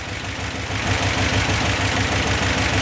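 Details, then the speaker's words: 1964 Ford F-250 4x4, 292 Y-block V8 with Autolite 2100/2150 carburetor converted to manual choke: even, steady idle with a smooth low beat, no exhaust ticking or puffing after replacing the passenger-side exhaust outlet gasket; sounds much better. "i ended up putting another one of those gaskets in and that made it sound a lot better sounds a lot better"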